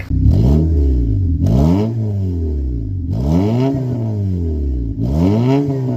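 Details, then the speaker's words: Honda after fuel injector work, previously stuttering: engine swings up and down smoothly through several blips, clean and even, no flutter or stumble; fixed. "And it actually sounds a lot better. There's no more flutter."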